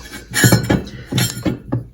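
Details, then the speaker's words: 1994 Four Winns Fling jet boat with 90 hp Evinrude, power loss: turning the jet impeller slowly by hand gives scattered metallic clinks as a blade hits the outer sleeve; no contact when spinning fast, owner suspects worn bearings. "now when i turn this you can you can actually hear it hitting"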